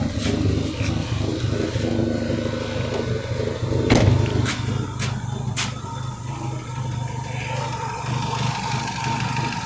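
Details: Renault Megane 2 after a spark plug change: idle is lumpy and uneven, with irregular drops and stumbles in the low exhaust beat and a slight shake; misfire source still unknown.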